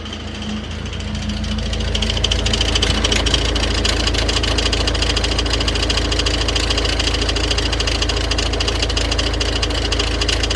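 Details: Idling engine with a steady, fairly even knock about three times a second over the running note; crankshaft pulley with damaged vibration damper, the two parts striking each other, belt tensioner moving excessively.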